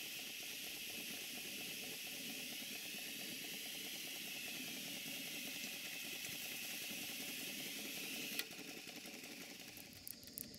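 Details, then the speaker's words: Rusty Stuart No. 4 model steam engine with a changed displacement lubricator, on a Castle Steam V6 boiler: soft even hissing chuff at about three to four beats a second, steady throughout; runs very well. "this is quite a simple engine it runs very well it's a little bit on the rusty side"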